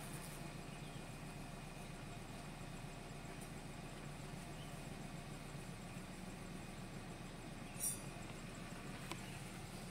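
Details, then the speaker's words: Nissan Grand Livina with MIL on and high fuel use, heard at the exhaust: low idle rumble with slightly uneven loping pulse; misfire, rough idle, suspected coil leaking spark to the engine block. "Ini untuk suara dari knalpotnya pincang ini biasanya kuilnya nginduksi ke bagian blok mesin ya"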